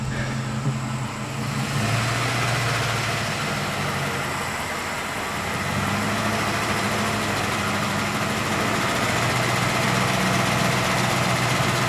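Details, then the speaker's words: 2007 Ford F-150 Lariat 5.4L Triton V8, hood open: a fast, uneven rattle over the V8 drone when revved by foot to 800 rpm, but not during the computer's 800 rpm high idle. Owner suspects VCT cam phaser rattle, seen at 800–1200 rpm. "the phasers make a rattle sound when my foot is on the on the accelerator revving it to 800"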